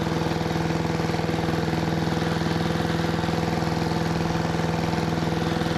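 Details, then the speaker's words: 1973 Giant Vac walk-behind leaf blower with a Briggs & Stratton single-cylinder engine, revived from seized: steady, even chug of about three beats a second that never climbs to a full-throttle howl. Still not reaching full throttle. "I'd say that made pretty light work of uh making a pretty small pile but I still don't think it's getting up to full throttle"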